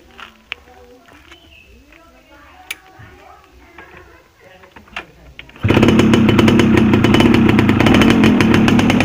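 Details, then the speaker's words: Yamaha F1ZR 110 two-stroke, oil dripping from exhaust joint, misfiring at high rpm: after a few quiet seconds it fires with a loud, ragged, uneven burble and heavy smoke; oil pump set too rich, over-oiled and misfiring. "Jadi asarnya terlalu banyak teman-teman jadi brebet"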